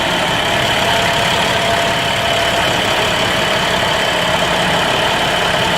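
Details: 2011 International DT MaxxForce diesel in a bus, 83,000 km, after in-frame rebuild for worn liners, no compression and blow-by from coolant in oil via failed EGR cooler: steady, smooth-rhythm idle, no knocks or misses; normal diesel idle.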